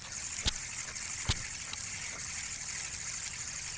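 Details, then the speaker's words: Spinning reel makes a steady gritty scraping hiss with two sharp clicks while the line is under tension; the sound stops without tension. Cause: worn line roller bearing, fixed by replacing the bearing. "and it'll go on all day long nonstop as long as you have tension on your line then you get home if you take the reel off and don't have any tension on your line roller which is right there sound goes away"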